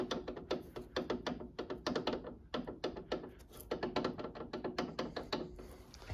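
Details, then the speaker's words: Hayabusa-engined mini race car during race prep, wheel rocked by hand at the rear: sharp metallic clacks several a second from play in the rose joint bearing itself, not the nut, on joints fitted new two race meetings ago. "Hear that noise? That is play in the actual rose joint. Now these were brand new rose joints 2 race meetings ago."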